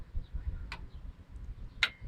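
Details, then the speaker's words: 2004 Dodge Ram 1500 with EVAP codes P0440/P0441: two crisp clicks a second apart as the computer pulse-width-modulates the purge solenoid ground side, normal; the fault is a natural vacuum leak detector switch stuck open. "and then back to five then zero so like I said this is pulse with modulated and as you can hear the you know the cylinder is clicking"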